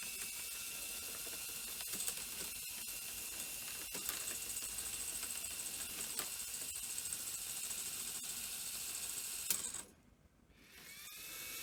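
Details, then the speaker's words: Sony EV-S700 Video8 deck, around 1988, first power-up: fast uneven clicking and ratcheting over a faint whir; loading mechanism cycling without completing its travel, later spilling tape from a cleaning cassette. "okay well that's that sounding very much like a deck that's at a time um or that's got lots of light"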